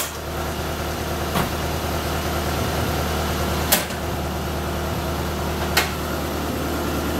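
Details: Toyota AE86 after refurbished gas tank, new fuel pump and fuel filter installed, restart: steady even idle with smooth low rumble, no misses or knocks; running healthy.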